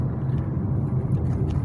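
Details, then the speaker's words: Kia Cerato driven over uneven road after replacing left stabilizer link with original Kia part: only low road rumble, no clunks or knocks; front suspension knock gone, cause was the stabilizer link. "do lado esquerdo aqui da suspensão é simplesmente sumiu então de fato era [Música] a bieleta e eu coloquei ela a peça original"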